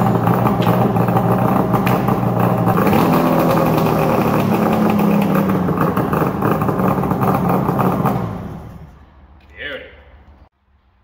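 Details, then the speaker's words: ZRT 600 three-cylinder two-stroke after bottom-end replacement (noisy crank bearings, leaking crank seals): starts on one pull, steady even crackling idle with no knocks, then shuts off; runs healthy. "all right so it's all back together it's up and running it sounds good runs good"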